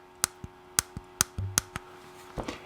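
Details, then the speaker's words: New two-terminal on/off tactile switch being fitted to an M&S Systems Model N350 1980s intercom master station in place of a failed bubble switch. It gives crisp, even single clicks as it is pressed from off to on. This is a healthy switch click. "you push it down and it clicks it goes on it's that simple because there's only two connections on the back so it's off or on"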